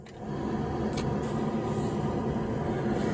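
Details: 1966 Dodge Dart GT, Slant Six 225, defroster blower after new defroster hoses and outlets and a repaired ground wire: steady, even fan rush over a soft hum, no rubbing or ticking; blower running normally.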